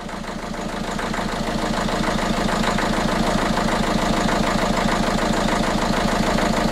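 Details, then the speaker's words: Diesel after repair, just started once injectors refilled: steady, even clatter around 200 beats a minute, no shake or stumble; injector rhythm restored, sounding more normal than before — healthy idle. "devant il a remis son rythme initial des injecteurs dont il devait être vide blatter il est évident et devilder fait déjà un bruit plus normal qu avant"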